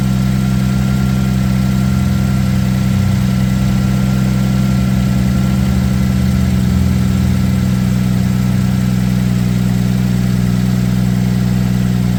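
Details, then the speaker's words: 2007 Ford Edge SEL AWD 3.5L V6 after replacing fuel injector #6 (open/short circuit code, misfire): steady, even low idle hum over twelve seconds, running smooth; check engine light still on but no longer flashing. "It definitely sounds like it's running smooth as well."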